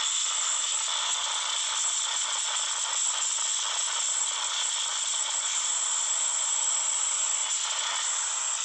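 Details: Samsung Note 9 phone speaker randomly produces a steady harsh high-pitched hiss with fine crackle, no low end, while playing audio; only a phone reboot stops it.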